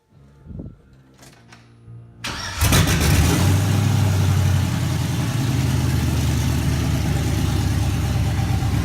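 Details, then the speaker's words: 1983 Chevy K10 with an LS swap, first start: the starter whirs, then the engine catches and settles into a steady, even low rumble with no misses. "I'll throw a clip of it run and I have a small clip of it running I'll throw that in here in a second so catch you next video"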